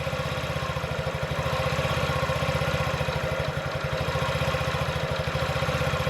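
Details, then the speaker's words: 2017 Honda Ruckus NPS50 50cc four-stroke scooter, idle set with inductive tachometer near 1600–2000 rpm: small buzzing idle, about three firing pulses a second, speed drifting up and down; hunting idle, cause unknown. "see how there's a lot of variation that's not exactly normal something else is going on have to figure that out"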